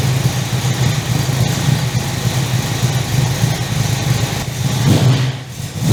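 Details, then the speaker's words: 355 stroker V8 in an HX One Tonner, first start after 11–12 years in storage since its dyno run, on 98 fuel, recorded with a lavalier mic. It started easily and settles into a deep, steady burble with one light blip; a clean, healthy idle. "Okay, so she started. So that was pretty easy actually. I was actually surprised how easy that started."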